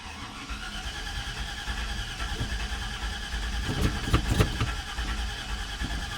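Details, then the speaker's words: LS swap engine on an eBay/Chinese standalone harness: fuel pump primes at key-on, then the starter cranks at a steady rhythm but the engine never catches; no spark verified, and no injector fire assumed. "i had everything hooked up correctly and i was just cranking it wouldn't start it sounded like it wasn't getting fuel it wasn't getting spark i verified spark it wasn't getting sparked"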